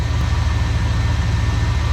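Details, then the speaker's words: 1976 GMC 350 V8, idling warm while the carburetor mixture screws are fine-tuned; oil pressure is about 30 psi hot and it still smokes. A deep, steady rumble with an even beat and no misses: normal, healthy idle. "I could hear small changes on our mixer screws there, but they're pretty much where they needed to be. She sounds pretty healthy."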